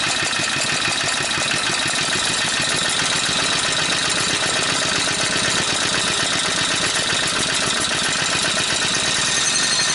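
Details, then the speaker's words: Goofy Cart 2 small engine running after an idle pulley was fitted, with a busy, rattly clatter. The pulley now works but is ruled out as the source; the noise is suspected to come from the gearbox or the clutch, not yet confirmed. "know well it works and now I'm thinking that noise is not from this like I thought it was so it's either from the box or from the clutch we'll have to find that out"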